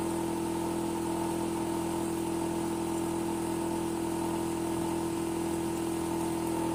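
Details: Hitachi air conditioner outdoor unit: a constant, loud droning hum with a strong steady tone and faint vibration, unchanging throughout; abnormally noisy running, cause not evident.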